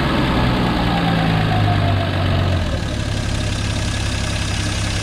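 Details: 1951 Studebaker with new makeshift exhaust using a Corolla muffler: low throaty idle climbs on a quick throttle blip and settles back cleanly; healthy rev response, slight surging at lowest idle setting noted.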